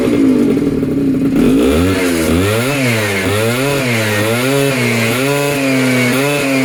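Small two-stroke buzzes at idle, then revs up and down repeatedly with crisp, even pitch changes and no misfire; runs healthy.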